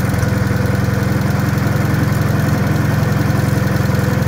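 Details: Wisconsin THD air-cooled engine, rebuilt with 20-over pistons and bored, fitted with a flush head that tucks into the shroud; steady, even low beat at a fast regular pace, no clatter or knock; the head makes it quieter; normal running.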